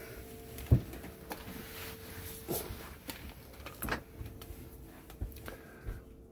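A faint, steady low hum holds an even pitch while the bed travels slowly, with only light clicks around it; the lift motor sounds normal.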